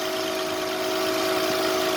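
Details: Mercedes-Benz W124 300CE-24, warming up after a cold start with the air pump now off: even, steady idle with a constant low hum and no misses, knocks or ticks; healthy engine settling normally.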